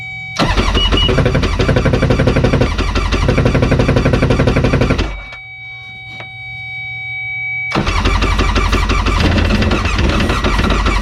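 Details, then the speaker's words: Jet ski sitting for years, cranked by jumping power to the solenoid's yellow wire: catches, runs a few seconds with an uneven, stumbling beat, dies, then fires again rough; needs carburetor work. "all right um it's definitely going to need some carburetor work on it"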